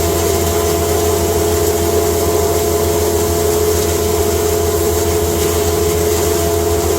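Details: Cattle-feed grinder, first time grinding hay fed slowly through the hay slide into a bag: loud, steady motor drone, constant mid hum and rushing blower, no surging or clatter. Normal running under load.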